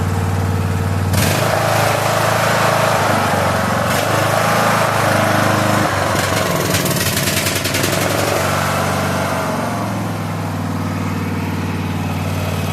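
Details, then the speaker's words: Craftsman LT3000 lawn tractor engine (80 psi compression), started after an ultrasonic carburetor clean. A rough, sputtering start settles into a steady, even chug as it clears out. Normal running. "So, runs great. Uh, sounds good now. Uh, I guess it just had to clear out a little bit."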